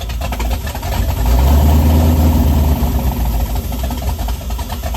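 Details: Ford truck V8 with performance cam, first start after fixing spark wires and fuel (40 psi fuel pressure): deep loping uneven choppy idle with a rev blip, running fine; lumpy idle from performance camshaft.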